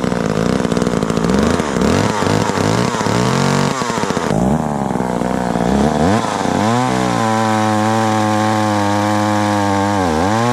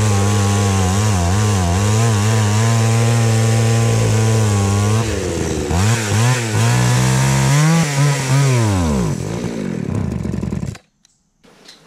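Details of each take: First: Very small chainsaw found in the trash, never repaired and not run for years, started easily without starting fluid. A rough cutting noise is followed by a steady, even idle with gentle speed wobble. Power is where it should be. Healthy. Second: Craftsman 3.7/Poulan 3700 chainsaw, unused for years: revs surge and sag unevenly, then bog and cut out, needing the choke repeatedly; stalling, with the fuel line later found cracked and needing replacement.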